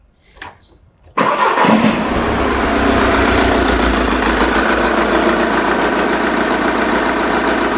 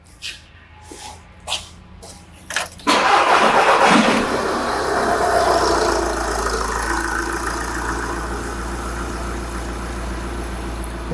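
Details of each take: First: Engine with the number four injector disconnected on purpose to introduce a fault: cranks and catches, then idles unevenly with a recurring stumble; misfire from the dead cylinder. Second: Engine restarted during a Pico WPS pressure-transducer test, transducer reading intake manifold pulsations: a few light clicks, then engine catches cleanly into an even, steady idle; pulsations uniform, no misfire.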